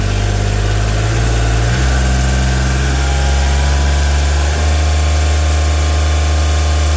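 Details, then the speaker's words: Kubota RTV1140CPX with a D1105 diesel, after replacing a plugged muffler that caused low power and black smoke: a deep, even drone that revs cleanly and higher, with the black smoke virtually gone. The engine is breathing freely and running normally. "Well, I'd say that's much better. As far as the black smoke, that was virtually gone. And it revved up much higher as you could hear."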